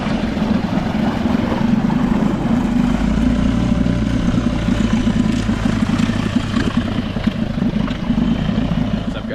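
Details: 1999 Nissan/Tohatsu 5 hp single-cylinder four-stroke outboard, sat a couple of years and rough at idle, after fine-tuning the air mixture (pilot) screw: even, steady putter with no stumbling or hunting; normal idle.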